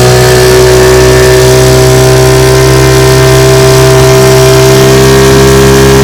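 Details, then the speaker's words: Restored 1950 Johnson TN-28 5 HP outboard on final bayou test run: loud, steady buzzing drone at constant speed with no misses, surges or knocks; running clean under way. "i'm out here on the bayou this morning with my tn 28 1950 johnson five horsepower taking it for a test run she runs pretty good let's see what she can do not bad very nice"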